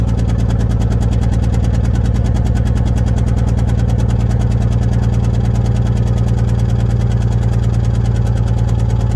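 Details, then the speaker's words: Toyota Camry at idle, not smoking much: loud idle with an uneven, rhythmic stumble about three times a second instead of a smooth beat. Engine misfire, not yet fixed. "doesn't seem like she's smoking too bad but you can definitely hear that misfire there's mileage there I need to fix that"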